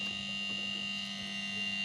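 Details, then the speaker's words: Sharp two-door refrigerator compressor, jumpered directly with clamp ammeter reading 4.5 A: steady low electrical hum, no run-up, won't start, compressor to be removed and replaced; locked rotor hum. "4,5 ya. Tidak mau start juga. tidak mau juga ya. Jadi saya harus mencopot untuk kompresor ini ya."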